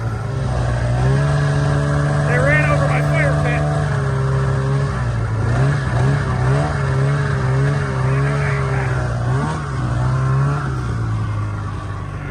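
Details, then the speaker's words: Snowmobile ZL550 two-stroke after a no-start repair; it had spark and the fault was fuel. Buzzy engine holds steady, then blips up and down crisply with no stumbling or bogging; runs clean, healthy and quick. "you're right something it just makes you smile you're right it does rip from 550 that's pretty quick"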